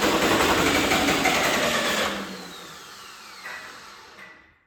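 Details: John Deere 450C bulldozer diesel, reassembled, in neutral: starter chugs about four beats a second, never catching, then winds down; crank no start, fuel shutoff solenoid unpowered.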